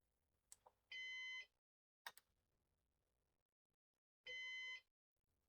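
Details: Used Synology DS418 NAS during setup: half-second high beeps repeating roughly every three seconds over near silence, like a heart monitor; the fan-failure alarm.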